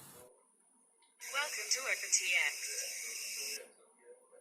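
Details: Jumper T18 radio remote: harsh hissing crackle from the speaker for a couple of seconds, then quiet; electrical interference from the screen backlight, partly reduced by an added speaker resistor, fixed per manufacturer advice.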